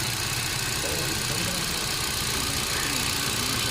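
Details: Hyundai Accent with code P0300: uneven running with irregular stumbles in the beat under a hissy background; engine misfire.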